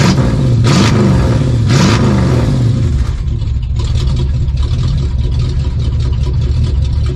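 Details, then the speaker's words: 1972 Plymouth Fury III 360 V8 with new four-barrel intake and Edelbrock four-barrel carb, mixture screws about 2.5 turns out; cold, choke fully open, idling unaided where it never would before; deep exhaust rumble, sharp blips, even steady run; healthy. "You can see here, choke is wide open. Even while it's cold, it's idling. Wow, that don't sound half bad, y'all."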